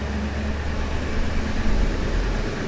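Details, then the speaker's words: 2002 Ford F-250 5.4L, exhaust manifold leak patched and cured for over 24 hours, heard from inside the cab: steady, even idle rumble with no exhaust tick or popping; a faint remaining tick might be a lifter. "I don't really hear an exhaust tick now, at least not from in the cab."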